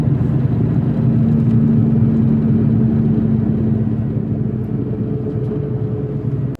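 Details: VW Mk4 (1999–2005, pressed-in front bearings) driving, with a steady low droning growl: worn front wheel bearing, which is then replaced.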